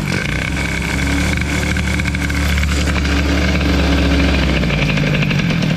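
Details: Peugeot 103 moped with tuned T6 65 setup after carburetion changes: small two-stroke buzzing at a steady, slightly lumpy idle with music behind; settles and holds idle cleanly.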